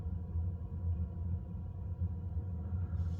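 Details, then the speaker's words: Second-hand Eberspächer D2 Airtronic diesel heater under a campervan seat, cabin at 12°, drawing about 8–9 amps during startup: low steady fan hum with soft regular pump pulses about twice a second; a normal startup. "the moment I can hear the pump but then it's it's on its startup so you expect the pump to be making more noise at this stage"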